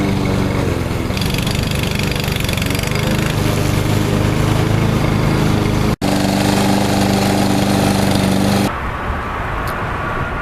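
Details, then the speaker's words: Troy-Bilt TB230 169cc four-stroke mower treated with Sea Foam, its faulty automatic throttle tied open and the air filter back on: a steady, even high-throttle drone with no surging or missing, normal running. "ir filter back on, take this guy out, and it will run now regularly at kind of a high throttle, but I'm okay with that."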